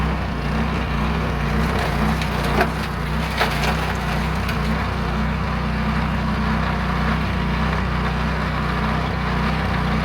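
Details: Meec SN210 snowblower after removing a mounting screw that bolts into the fuel tank: steady low engine drone holding even speed while blowing snow, with snow crunching; the engine is running properly.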